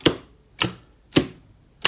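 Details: Star/delta forward/reverse starter on an FX5U PLC, after releasing the e-stop, which had cut the commons to the PLC, and re-bridging the relay outputs: four crisp single clicks about half a second apart, contactors pulling in and dropping out normally.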